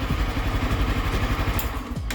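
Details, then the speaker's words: 2022 Honda CB Twister, cranking: rough labored starter noise that bogs and winds down, nearly locking up; starter motor's internal magnets coming loose from the housing, debris inside; starter needs replacement. "esse barulho é isso aqui ó motor de partida é o ã de indução acho que é isso tem aqui dentro que ele se desloca da carcaça daqui do Motorzinho"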